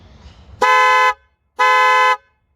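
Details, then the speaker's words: Kia Cerato with 472,000 km, newly fitted replacement two-tone horns (about 400 and 500 Hz) with new wiring; two clean steady half-second blasts, firm note, no crackle or fading — normal car horn. "вот подключили слушаем вот теперь уже нормально вот это нравится"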